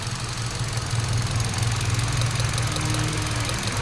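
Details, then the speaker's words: 2017 Hyundai Accent after repairing computer box and new coil harness; coil lifted to test, engine idle turns lumpy and shaking, heavy uneven pulse about four beats a second; one cylinder deliberately disabled, strong vibration. "Kapag nakasalpak yan walang vibration pero pag iangat natin Ayan ng tunog oh nawala yan tapos mo yung vibrate ang lakas oh"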